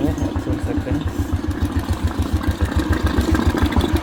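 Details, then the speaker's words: Royal Enfield Classic after a top-end rebuild for tick-tick sound: hydraulic tappet, piston rings and valve guides replaced; starts first try, even, steady single-cylinder thump at idle, about 3.5 beats per second, no ticking. "ये रहा bike और चालू करके दिखाते हैं ठीक एक से में हो गया और इसका काउ सुनिया और आल देखिए रहा है साउंड कितना प्यारा लग रहा है"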